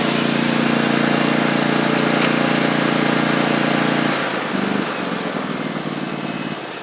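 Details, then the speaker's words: Troy-Bilt zero-turn mower, 2 years old, Kohler 24 hp 7000 series V-twin, after fixing fuel delivery (water in fuel, badly installed replacement carburetor): smooth even beat holding steady, easing off as driven away; running normally after repair. "Otherwise, you can hear it's running good. I get it out of the garage. Test it out here. Sounds good."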